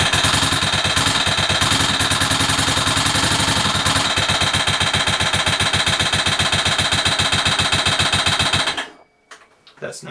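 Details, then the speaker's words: Motorcycle engine whose starter mechanism had been locked, running after being started; sharp rapid ticking about four per second that stays steady until shutdown and seems to come from the side. The source is unclear: engine ticking noise. "it's unbelievable ticking noise what I hear there I absolutely not sure what that is looks as if it's coming from the site"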